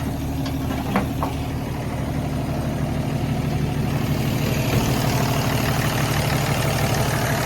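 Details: 1979 Toyota 2F inline-six, about 248 cubic inches, with an aftermarket carburetor, in a Toyota Land Cruiser and Ford pickup hybrid: low, even idle with a steady rumble, no knocks or misses; healthy.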